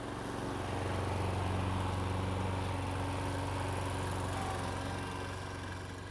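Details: Mid-1990s (owner thinks) Toro GTS 2 550 mower, model 20436, 5hp Briggs & Stratton 124702, three-speed rear-wheel drive, after a carburetor repair (float bowl full of jelly). Cutting grass with a steady, even drone that holds speed, no surging or misses; engine pulls fine.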